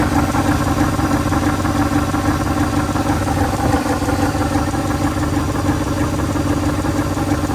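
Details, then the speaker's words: 1983 Dodge D150 Prospector, parked 25 years, idles roughly with loose ticking puffs about three a second and no deep knocks; owner suspects an exhaust hole, possibly the water pump, unconfirmed. "Let's see what that noise is. Gotta work growl to it, but park that long. I mean, it could be the water pump, it could be anything really, but it doesn't sound like there's no knocks or nothing, so I'm not really too Oh, I think worried it's just about a hole in the exhaust."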